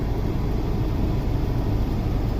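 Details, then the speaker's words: 2003 Honda Civic 1.7L being checked for a restricted exhaust, now showing almost no exhaust back pressure: on a test drive it gives a smooth, even drone with no stumbles, misses or surging. Normal running. "There is like no exhaust back pressure now. Let me try it again. Try revving this twice. There we go. out on a test drive. Seems to be running great."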